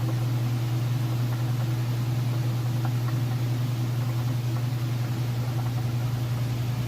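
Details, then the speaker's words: Whirlpool Ultimate Care Super Capacity Plus top-load washer, 2-speed motor, full heavy load, drained and in final spin: smooth steady low hum at full speed, no thumping or rubbing; balanced, healthy spin. "Coming up on that final spin cycle, and it's draining all the water out right now. Okay, and it is in the final spin cycle now."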